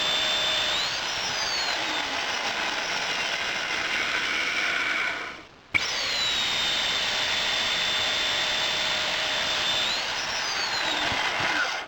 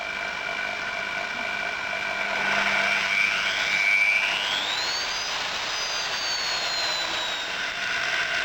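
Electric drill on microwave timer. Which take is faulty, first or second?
first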